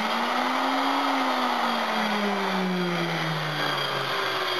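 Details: Worn but working 60 W, 240 V brushed mixer motor, running with empty cup pushing its switch: steady motor whine wandering slightly in pitch with brush hiss, no grinding or knocking; normal running, sounds a little used.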